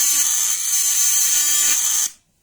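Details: Rewound contact point (vibrator) bench-tested on two 12 V batteries in series for 24 volts: steady high-pitched buzz holding even for two seconds then stopping cleanly; solid normal buzzing, not heating up at 24 volts.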